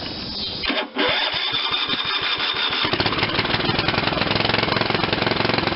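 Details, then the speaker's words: Old Ariens RT7020 rototiller, Tecumseh HH70 7 hp engine, electric start on weak jump pack after repairs: catches after a few cranks, settles to steady even single-cylinder beat near idle, picks up slightly with throttle; runs normally. "let me turn up the throttle a little bit sounds like i got it on just about idle or something"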